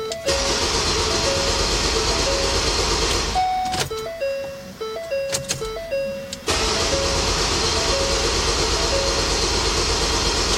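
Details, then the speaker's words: Ford Transit diesel after DEF accidentally put in the fuel tank, system cleaned to the fuel rail: steady rhythmic cranking with a chime, pauses, cranks again, tries to fire but won't start; crank no start from air in the fuel system. "She tried to poop a couple times, and then of course now it's going to have air in it."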